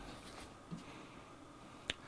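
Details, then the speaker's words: DSO 8104A Infiniium oscilloscope, reassembled with a donor power supply: faint sharp clicks a second or so apart come from the supply; owner suspects something unsecured, possibly at the primary/secondary connection or the flat coils; not confirmed. "You can still hear the little clicking. I'm going to have to take it apart again and look at the uh look at the power supply cuz there's clearly something that I haven't secured"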